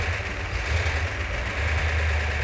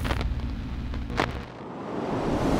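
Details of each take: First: 1970 Plymouth Cuda 383 V8 in the car after restoration: deep steady idle with even lope, no knocks or ticks; sounds as good as on the engine run stand. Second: 340 V8 on initial firing, running on about six cylinders with low compression. A rough, uneven lumping idle with light metallic tapping on top. Misfire from a bent pushrod.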